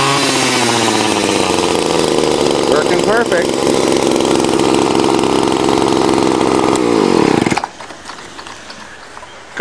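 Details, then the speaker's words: Two-stroke weedeater string trimmer after fixing broken fuel lines and cleaning the dirty carburetor: steady even high buzz for about seven seconds, then cuts off cleanly; runs healthy. "okay i've fixed the fourth one now it was just broken fuel lines and a dirty carburetor let's see if she fires up"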